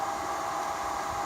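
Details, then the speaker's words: Knockoff Dyson bladeless fan after the fix: oil was applied to the motor bearing under a rubber piece, curing the earlier loud noise. It now gives a soft, even rush of air with a faint steady hum, smooth and very quiet. "under there there is a bearing and as you can see I put oil onto the bearing and now it's going smooth and very very quiet"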